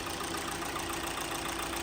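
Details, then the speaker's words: 2017 Hyundai Elantra 2.0 after swap to a low-mileage engine of about 40,000 miles (chassis about 75,000), fresh oil and fluids, first start: steady, even idle with a light regular tick, no knocks or misses; sounds healthy. "sounds very good you got to put the wheels on put it on some level ground and check the oil level"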